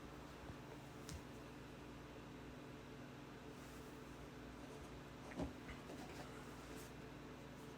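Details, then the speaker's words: VOPLLS 4K projector with the display on, heard from the first position before moving it to 3 ft away: a quiet, steady low hum with an even airy rush and no rattles or ticks. The cooling fan runs normally. "And so I'll give it about 5 seconds of me being silent so you can hear the fan noise and then as well playing the sound."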